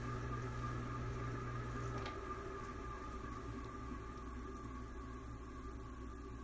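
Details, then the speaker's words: Old ceiling fan in a rental, running at full speed in reverse before repair: constant hum with thin high whine, gritty dry rasp and slight squeak; bearings dry and crusty, blades possibly unbalanced. "You can definitely hear, actually starting to hear a little bit of squeaking in this direction. It's definitely crusty though, and that's what we're about to fix, hopefully."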